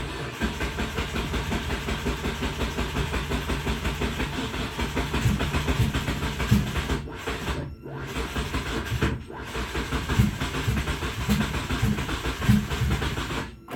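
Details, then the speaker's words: Turbo Hyundai Tiburon on reassembly, with a used starter fitted and fuel primed. Laboured, uneven cranking that drags and pauses before finally starting; the owner doubts the used starter is strong enough. "Oh, I don't know if the starter's tough enough. I had to put that used one in here. Oh, there she started."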